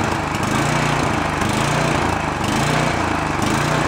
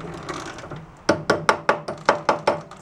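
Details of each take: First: Free roadside snowblower started choked on fresh gas: the small engine idles unevenly, its speed swelling and sagging about once a second; the carburetor is hunting because the idle circuit is dirty, and the fix planned is removing the idle screw and blowing it out. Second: Roadside-salvaged snowblower being repaired: slow, even chain clicks, about eight in two seconds, while the chain is turned by hand after freeing stuck links; normal chain noise, since these are noisy from the factory and spin slowly.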